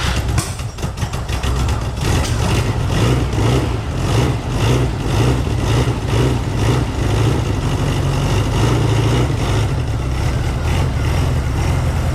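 Catches quickly, blips up, then settles into a lumpy but steady low idle with no knocks or misses; a healthy cold start.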